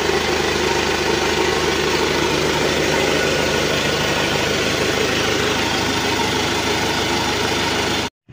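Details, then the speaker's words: Isuzu Elf NLR 55 diesel after rebuild for a broken crankshaft, idling to reach working temperature with oil pressure good and reaching the cylinder head; steady, even low rumble, slightly rough but no knocking or hunting, then shut off; healthy. "tekanannya masih bagus kita pastikan naik di cylinder head suaranya halus enggak ada e kurang kasar dikit tapi kita biarkan dulu selama beberapa saat biar temperatur kerjanya normal"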